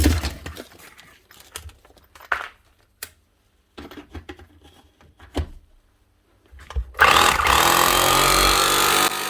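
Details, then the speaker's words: 20-year-old Bosch GBH 4 DFE SDS+ hammer drill, previously not hammering with heavy motor sparking, tested after armature work and regreasing: handling clicks then a steady, even whirr rising in speed as grease spreads, no grinding or rattle. "Sounds better already. You hear the speed increasing as the grease works its way around inside."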